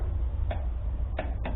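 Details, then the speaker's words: Husqvarna riding tractor after sitting all winter, battery maintained and jump box connected: three sharp solenoid clicks with faint hum but starter won't crank; solenoid not working, owner plans to bypass it and may need a new solenoid. "all right so my solenoid isn't uh doing what we're supposed to do so what we're gonna do is just bypass it"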